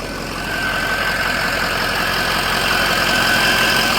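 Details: 2004 Ford F350 6.0L Power Stroke diesel after a Sinister Diesel adjustable fuel block (blue spring) upgrade, just restarted; a coolant line is leaking. Steady diesel idle clatter with a clear high turbo whistle, even and smooth. Healthy idle.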